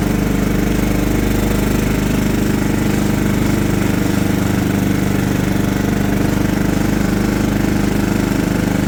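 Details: John Deere LT150 mower with replacement 15 HP Kohler engine, freshly swapped and mowing grass: steady, even single-cylinder beat holding speed under mowing load, no knocks or misses; runs well.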